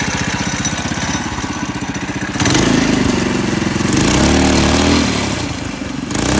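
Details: Coleman CC100X mini bike, brand new 212cc Hemi engine with governor and oil sensor removed, torque converter installed: loud even single-cylinder thumping at idle, revs climbing and falling back cleanly, no misses. Normal running.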